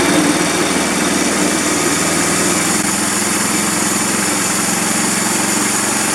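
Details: 13.5 HP Briggs engine, plastics off, after ultrasonic parts washer cleared the blocked carburetor idle passage: steady even idle about 220 pulses a minute, no hunting, surging or dying; running properly after repair.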